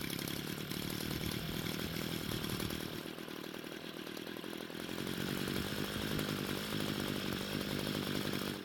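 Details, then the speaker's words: Free Homelite string trimmer that would not start, now running: buzzy two-stroke speed sags and surges unevenly. The carburetor mixture screws needed adjusting, and it ran well after adjustment. "so the good news is that it started and ran but the bad news was that it needed a carb adjustment to get it running better"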